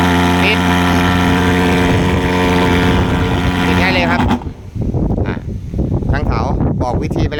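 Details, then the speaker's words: Thermal fogger after cleaning fuel jet clogged by shed fibres, hard starting fixed: steady even low drone holding one pitch about four seconds, no misses; starts easily, normal running. "เห็นมั้เห็นมั้ยมันจะง่ายขึ้นกว่าเดิมลมนะครับทีเนี้ยเครื่องเครื่องก็จะนิ่งสตาร์ทง่ายขึ้นกว่าเดิม"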